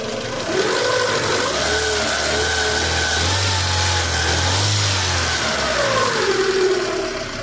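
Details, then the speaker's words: 2003 Honda Civic engine running and revving: thin whining tone shifting with speed, sometimes improving, sometimes making a strange loud noise; belt found overtightened. "a correia tem hora que melhora tem hora que faz uma barulhão estranho"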